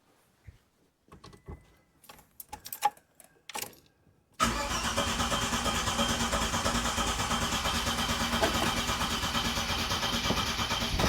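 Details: Classic car after fitting the correct ignition coil, new contact breakers and condenser, with timing set statically: a few clicks, then the engine catches cleanly and settles into a steady idle. Best it has ever run.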